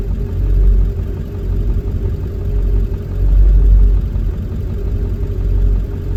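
Deep diesel idle that surges and sags unevenly about every few seconds, a lumpy rough idle fitting an injector driver module fault.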